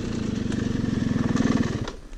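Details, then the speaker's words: Yamaha YZ250 dirt bike after breaking on the trail: rough rattly idle with a hard even beat around twelve per second before fading; something inside the engine broke, and it smoked and smelled afterwards. "You hear that? Yeah, I broke something."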